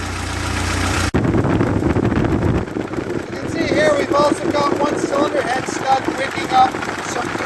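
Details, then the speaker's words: 1948 Ford 8N tractor, warm after rebuild: the engine keeps running fast and even without dropping to a slow curb idle. The idle is too high and the governor linkage needs adjusting. "I need to adjust the governor linkage because it's not it's not slowing down enough to curb"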